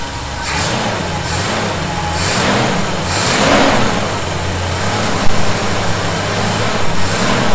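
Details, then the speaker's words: 1971 Chevy C10 V8 just after a cold start, with fasteners re-snugged to cure a suspected vacuum leak: low, even idle with some clatter and no whistle or hiss at the carb base. The earlier noise is gone. "i'm not hearing it right now that may have been the answer you know i still didn't crank those down really hard"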